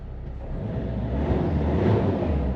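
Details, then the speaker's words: JAC diesel pickup after injector repair, new coarse and fine fuel filters, tank cleaning and DPF regeneration, started: settles into a deep, steady rumble with a slight rev rise, no knocks or misses; runs smoothly and healthy. "Дуже гарно робить."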